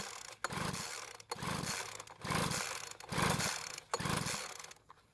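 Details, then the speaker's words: Poulan Pro two-stroke leaf blower that ran one day and wouldn't start the next, with fresh mixed fuel poured into the spark plug hole: four rope pulls, each a short rasping whir with no firing; likely not flooded, ignition to be checked next. "unfortunately after pulling the Rope about 20 times it didn't start"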